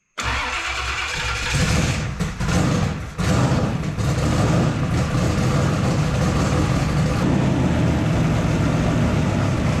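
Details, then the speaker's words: Drag street car with a newly wired Holley Dominator EFI, first start after settings changes (expected to run rich), TPS auto-set done: brief cranking, then a strong, steady lumpy idle with no misses; normal start and idle. "all right sounds like my beautiful"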